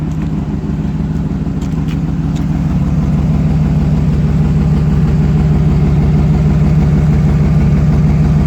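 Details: 2008 GMC Sierra 1500 Denali, L92 Gen IV Vortec 6.2L V8 idling: deep even rumble with rapid puffing tick on each firing pulse; exhaust leak just before secondary catalytic converter, resonator deleted, axle-dumped exhaust, otherwise stock.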